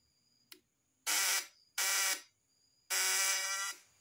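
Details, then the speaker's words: Breaker-point ignition vibration test with a faulty condenser: three harsh, rough snoring electric buzzing bursts from vibrating points, versus a new condenser's smooth sound; secondary output is then checked on a 250 V AC tester scale. "ya suaranya ngorok ngorok yang belum tahu ini masih bisa beranggapan ini masih bisa dipakai atau masih bagus padahal hasil dari suara itu tadi udah menunjukkan bahwa kondensor ini sudah tidak layak dipakai atau sudah jelek"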